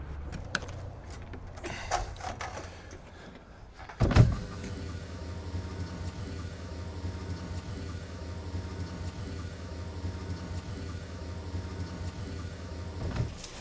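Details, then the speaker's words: Grand Design fifth wheel RV slide-out motor, newly replaced after the old one stuck, hesitated and failed: after a thump, even steady motor hum for about nine seconds without stalling; slide working as it should. "Man, that sounds a lot better. Well, all right, we've got the slide motor replaced and everything is working as it should, and we can finally stop worrying about this thing."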